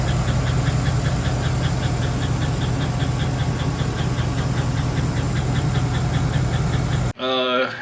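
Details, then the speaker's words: 2011 Chevy Silverado quad cab 4x4, 5.3 LC9 V8, sold cheap for a loud noise, oil pressure gauge reading zero: a steady, sharp tick at about 100 per minute rides over the V8 rumble. Suspected lifter tick in one cylinder. "the story behind this vehicle I picked it up pretty cheap because the owner wanted to get rid of it making a loud ass noise"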